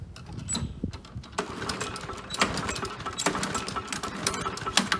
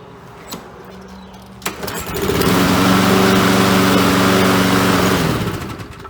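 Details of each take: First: Briggs & Stratton 7.25 hp four-stroke lawnmower engine with no choke or primer, notoriously hard to start: repeated pull-cord strokes turn it over without ever firing; a hard-start engine. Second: Briggs & Stratton 7.25 hp four-stroke lawnmower engine with no choke or primer, notoriously hard to start. Propane is sprayed into the air filter intake. A few clicks, then the engine catches and runs with an even, steady beat before winding down: a normal start.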